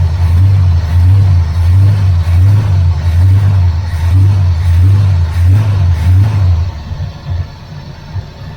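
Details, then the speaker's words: 1981 Chevrolet Camaro Z28 V8, carburetted, no choke, electric fuel pump disconnected and running on float-bowl fuel: deep, even rumble with steady lope at idle, then fades and dies as bowl runs dry; engine sounds good. "Oh, right. That engine sounds good."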